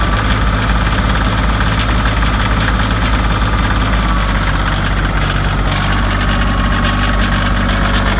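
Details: Kioti CK2510HS diesel tractor on a cold start: a rough idle whose low clatter stumbles unevenly instead of holding a steady beat, a misfire.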